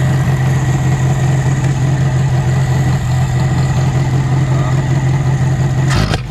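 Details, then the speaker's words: Ford with a Weber carburettor won't rev: steady, slightly lumpy idle that sags and stumbles instead of picking up. Idle jet and mixture screw checked and fuel is reaching the second stage, but the cause is unknown. A loose alternator wire was also found. "Don't wanna rev up. I checked the idling jet. I checked the fuel mixture screw. There's fuel coming through there, but I don't know. That's not revving up."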